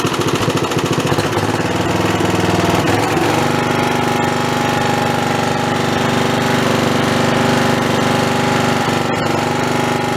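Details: Snapper 3081 mower, hot and smoky after mowing, restarted after its original spark plug was refitted: fast, even single-cylinder thumping settling into a steady drone with no misses; normal running.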